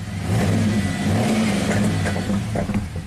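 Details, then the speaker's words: 2004 Pontiac GTO 5.7 LS1 V8, 34,000 miles, after replacing a bad spark plug: smooth rising rev and even settle back down with no stumble; firing cleanly on all cylinders, misfire counters now clear. "See, this beast fires up and runs super smooth. Oh yeah."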